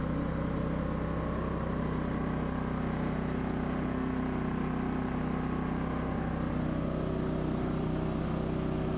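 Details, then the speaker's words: Firman W3300i inverter generator after new ignition coil, pull rope, fuel clamps, cleaned carburetor, repaired wires and reconnected inverter module: steady hum, no hunting, misses or knocks; running properly. "Alright, so new coil, new rope, new clamps, clean carb, fixed wires, and inverter module connected. Let's start it."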